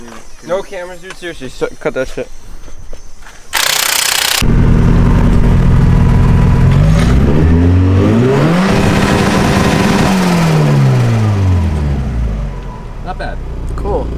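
Engine catches and settles, revs rise and fall cleanly, then a steady even idle with no misses or stumbles: running smooth.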